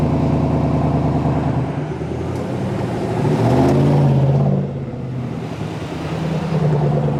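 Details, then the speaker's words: 2019–2021 Silverado V8 with cylinder deactivation, cruising on the highway: the steady road drone's low engine note drops and changes character midway, the typical tone shift (helicopter noise when stopping) made more audible by exhaust changes. "if you do anything to the exhaust you can hear that cylinder deactivation constantly especially coming to a stop you get that little helicopter noise cruising on the highway you can constantly hear that tone shift"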